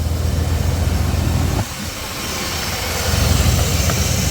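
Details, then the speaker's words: Chevrolet Silverado 5.7 TBI V8 after throttle body rebuild and finding an unplugged vacuum fitting sucking air: low, steady idle with even beat, no stumble or hunting, smoother than ever now the vacuum leak is sealed. "Okay, it's nice and smooth, better than it's ever been."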